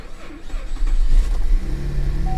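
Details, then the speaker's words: Almost ten-year-old Cadillac CTS salvage-auction car, cold start at 38 degrees: catches with a rough, uneven low rumble and vibration, a suspected misfire; rough cold start. "wasn't the healthiest sounding start I've ever heard I'll be the first to admit that that didn't sound healthy at all it's vibrating like it's got a misfire"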